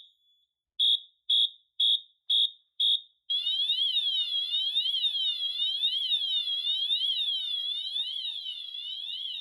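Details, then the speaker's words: Notifier NFS-320C releasing panel after smoke and heat detectors alarm: the AMT horn gives fast march blasts at two per second for pre-discharge, then a continuous warbling siren for discharge. "Once 2 or more detectors alarm, then the panel enters pre-discharge mode. The AMT will sound its horn tone in fast march time, and the pre-discharge LED lights up on the main panel."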